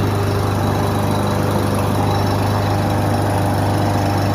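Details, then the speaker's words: Husqvarna 5521P 550ex 140cc push mower idling steadily with a light, quick tapping on top; cause not yet identified, to be investigated further. "sounds like a little tap it noise going on but i don't know"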